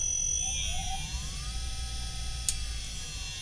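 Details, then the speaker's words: Standard 50 Hz induction motor on variable-speed drive, from standstill: whine climbs smoothly and levels off with no jumps or roughness, smoothly accelerating. "So if I were to suddenly accelerate it at this point, you'd also see that phenomenon. Not so much. It just smoothly accelerates."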